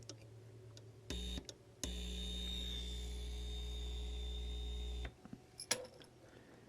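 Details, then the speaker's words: JAT801 audio amplifier on first power-up at low voltage and current, without heat sink and drawing rising current: steady low mains hum with a buzzy edge when the input is touched, dropping away after; the amp is amplifying. "it's actually uh acting like an amplifier so far"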